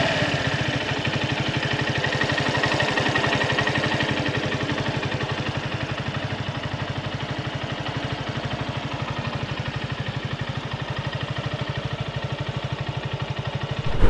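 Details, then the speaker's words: Suzuki Gixxer SF 155 single-cylinder, after dealer fixed tappet or cam chain rattle: even regular low idle thrum with no ticking or chain rattle; noise gone, normal idle. "este técnico si me revisó la moto más a profundidad Y pues sí efectivamente el sonido desapareció"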